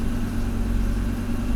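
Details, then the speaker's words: Pre-1990 Audi 90 after engine repair, A/C on: low steady idle drone that holds flat instead of picking up; the intermittent idle control motor isn't regulating this time, later measured at only 0.3 volts. "If it's the idle motor It's clear that it's not working Sometimes it works, sometimes it doesn't It's definitely not working now"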